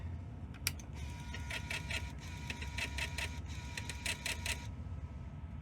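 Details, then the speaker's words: Sony Mavica MVC-FD51 1998 floppy-disk digital camera, 3.5-inch drive trying to read disc, showing no file: repeated quick clicking and stepping bursts with faint motor hum, retrying over and over; drive failing to read, bad sectors. "that's the sound a floppy Drive makes when it's dealing with bad sectors that's a bad sound"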